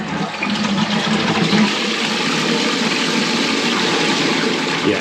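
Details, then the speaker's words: First toilet flush after a repair, with the water back on and the original flush cone reused. Strong rush of water drains evenly into a steady refill wash; it flushes properly. "it's always the first flush i'm hoping the flush cone is okay still because we reused the original one"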